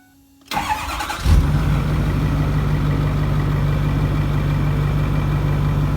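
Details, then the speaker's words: Ford 6.4 diesel dump truck, 129,000 miles, cold start: cranks briefly, catches at once, settles into steady even idle without misses or knocks; injectors seem good. "yeah a lot of these six spores we don't really there's nothing really the cold start on them i mean there is if it's bad but most of them the injectors are good sounds good"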